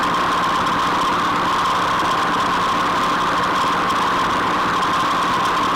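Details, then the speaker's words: Rotary mower gearbox after repair and oil refill, running at full tractor PTO speed as a test. A steady, even drone with a constant mid-pitched tone and no knocks or grinding; the gearbox sounds healthy, running normally at full speed. "I'm going to go put the PTO in gear on the tractor. We'll take it up to full speed and see what it sounds like."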